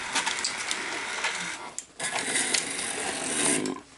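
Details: NEC Super Beta HiFi VC-N65EU VCR: whirring motor and gear chatter, short pause, another smooth run as a hi-fi tape ejects cleanly with no binding; normal cassette eject.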